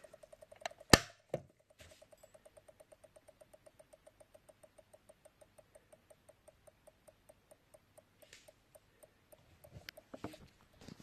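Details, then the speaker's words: Commodore Amiga 500 power supply (4.5 A German-made light version), unloaded, recapped: ticks steadily about four clicks a second, fading after switch-off; voltages slightly out of spec, especially ±12 V; owner suspects a regulator or transistor. "it still makes a weird sort of clicking noise and as I turn it off the kid noise dies and goes to nothing which made me think it might be a regulator or something some sort transistor or something like that"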